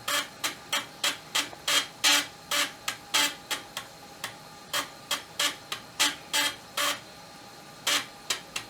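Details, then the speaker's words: Amiga 1200 floppy drive whose seized motor was freed, head off the track-one position at power-on: quick regular ticks and short buzzes about three a second as the head steps back and reads. Normal drive operation. "let's see if the computer can move it first thing it should do is try to move it back to track one because it'll sense it's not in the tracking position"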